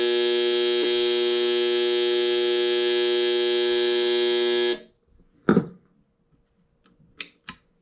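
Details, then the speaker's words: Float alarm on a 1991 Clearstream septic aerator control panel, its only alarm: a loud, steady raspy buzz for almost five seconds, then it cuts off. This old panel type seems prone to burning up its circuit-board capacitor. "that's the only alarm system these had was just this float this is what it sounds like"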